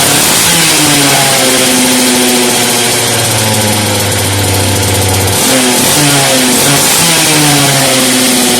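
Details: Homelite 330 junkyard chainsaw after rebuild, restarted, grumpy to start: raspy two-stroke buzz swings up and down through quick throttle blips, pulling cleanly without misses; running properly.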